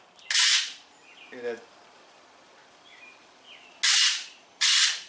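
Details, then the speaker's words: 2006 Ford F150 driver front door lock actuator, old unit plugged in out of the door, driver door won't unlock by remote while others work: three short harsh gritty buzzing bursts that never clunk home; internal gears stripped, replaced with new actuator. "internal we had faced the gears that went out so if you if you have this sound on this actuator you know pretty much pretty much have a diagnostic"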